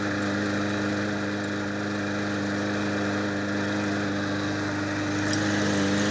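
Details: Trash-picked mower running after reassembly and fresh gas; the old fuel had looked flaky. A smooth, steady single-cylinder drone at constant speed with no misses, surging or knocks; the mower is running cleanly and normally.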